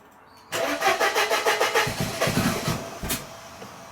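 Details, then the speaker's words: 1994 Mercedes W202 C180 after wiring work: engine catches and runs in uneven, lumpy pulses about three a second, sags as if stalling; won't hold idle, misfiring, one coil pack suspected not seated right. "So, why is it not holding the idle then? Because it's misfiring. That's what it is."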